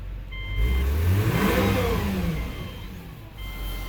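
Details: 2006 Subaru B9 Tribeca just after engine installation, coolant bleeding with engine warm: engine blipped from idle, clean rise and fall with no knock or miss; healthy.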